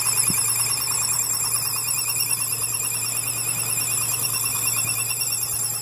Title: 5.7 Hemi makes extreme strange noise 3